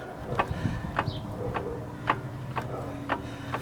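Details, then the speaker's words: VW Jetta transmission-side inner CV joint with a torn boot, likely without grease and worn, axle rocked by hand on a jack: sharp, dry clunks about twice a second from excessive play in the joint. "Se ve que tiene movimiento la flecha, pero no se mueve la junta. La junta es esta. Y ahí se escucha el golpe."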